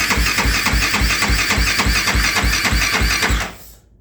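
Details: 2008 Kawasaki KFX450R with a starting problem despite new starter, relays, solenoid, switches, harness and injector, and timing and valve clearance in spec: slow, heavy cranking about 3.5 strokes a second, each compression dragging before it quits. Owner suspects the adjuster screw; unconfirmed.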